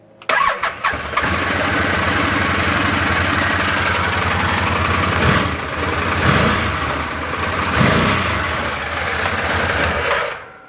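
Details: Arctic Cat Prowler XTZ UTV, raised on blocks, after wet clutch pack replacement: starts cleanly, revs rise and fall evenly in neutral, primary clutch compresses at higher rpm; engine and clutches normal.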